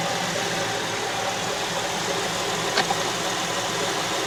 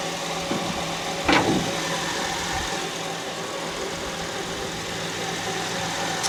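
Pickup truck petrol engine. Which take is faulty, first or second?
second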